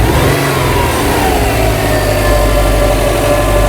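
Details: 2008 Subaru Legacy after repair of stalling and bank one cam sensor and misfire codes, 100 miles without fault: quick throttle snap, revs rise cleanly and settle to steady idle, no knocks or misfires.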